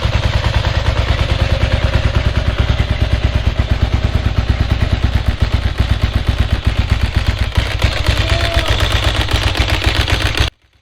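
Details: 1992 Ducati 900SS started with fuel pump on and choke: rapid sharp clattery pops with an unbalanced lumpy beat; only one cylinder firing because of a bad spark plug.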